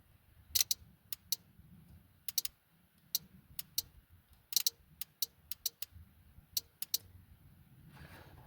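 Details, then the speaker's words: 1991 Ford F150 5.0L with no fuel pressure after a new front-tank fuel pump: the light blue/orange wire is grounded and the fuel pump relay gives sharp, dry clicks at uneven intervals; the relay works and is ruled out. "We're going to put a ground to it and we're going to listen for the fuel pump relay."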